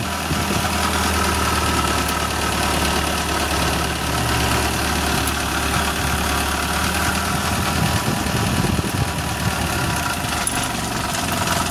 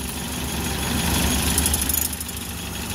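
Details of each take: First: Suzuki Carry petrol engine at idle with a harsh, fast diesel-like clatter; the timing cover, held by only four bolts, rattles loose on worn mount cushions. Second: Suzuki Carry 1.0 petrol engine at idle after repair: the earlier rough, knocking diesel-like clatter from the engine area (timing cover cushion suspected worn) is gone, leaving a steady, even low hum; normal idle.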